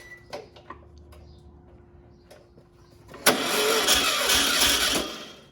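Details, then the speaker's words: Sat-for-years 1600 dual-port VW engine (mileage unknown) for a 1969 Karmann Ghia, hot day, no gas seen squirting from the carb. Short burst of starter whirring and cranking, never catches or idles. Owner blames a faulty starter. Won't run. "I'm not gonna lie, I had hopes that this would roar to life and idle. I think I had too much wishful thinking."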